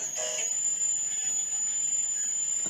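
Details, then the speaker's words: Homemade AM receiver (TA7642 and LM386) powered by a power bank instead of batteries: constant high-pitched whistle over hiss buries stations, switching interference from the power bank; batteries recommended instead. "Mucho ruido. Es demasiado ruido el que introduce una power band de estas."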